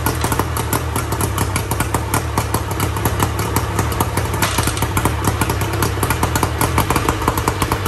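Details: 1994 Tohatsu M40C two-stroke outboard after water pump replacement and unseizing the seized motor, run with water on: steady, busy beat with crisp rapid pops and even speed over a low rumble; running smoothly.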